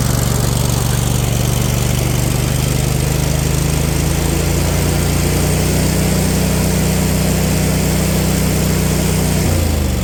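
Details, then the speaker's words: Husqvarna riding mower, Briggs & Stratton Intek V-twin, over 900 hours, running with no cooling: loud low drone that hunts and wavers, then sags near the end; rough running, owner suspects old gas. "yeah it looks like it but hey it's running off the carb not well but it's running now that old gas it's that's probably what it is realistically"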